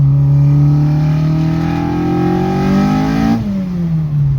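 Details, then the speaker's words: Track Mk2 with new high-compression ITB 2.0 16v race engine, driven on wet road: engine note climbs smoothly with revs with a ringing edge; owner suspected pinging, but timing was pulled and sound stayed, so normal harmonic engine sound. "So he pulled timing, still made the sound. So it's just harmonic sound that the engine makes."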